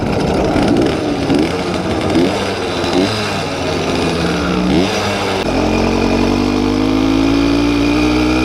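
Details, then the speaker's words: YD100 two-stroke bike engine during carb tuning: the buzz rises and falls sharply with each throttle blip, then holds a clean climbing pitch; healthy, crisp throttle response. "sounds good very crisp response on the throttle"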